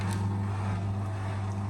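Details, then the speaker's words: Beko bPRO500 B5W51041AW 10kg washing machine, 9 months old, 240 cycles, installed outside: the drain pump sounds growly at the start of a cycle, then a loud steady hum. The growl went away; owner blames a few days unused, so normal. "you can hear the pump is very grow growly on this machine so it is very [Music] growly"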